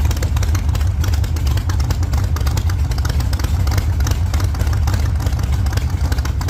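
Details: 1948 Chevy Fleetline small-block Chevy V8, 4-speed, after a presumed fix for push rods breaking on the first burnouts: deep, loud, choppy rumble held at high revs under burnout load, even firing, no ticking or clatter, sounds healthy.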